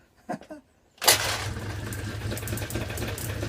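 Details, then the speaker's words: Peugeot Speedfight moped after CDI wiring repair, no electric start: a kick, then the small two-stroke catches at once and settles into a buzzing, slightly uneven idle; it starts and runs. "so here we go in it no electric start so it's gonna be kick start"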